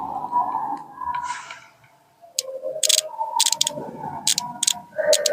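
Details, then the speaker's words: Car 4-pin relay bench test, coil pins 85 and 86 fed positive, negative supply applied, microphone held close: quiet pause then sharp clean clicks at irregular spacing as contacts switch; relay working normally. "तो जैसे ही हम लोग negative supply देंगे तो अभी relay का sound भी आता है क्लिक सा, वो भी आप सुनिएगा।"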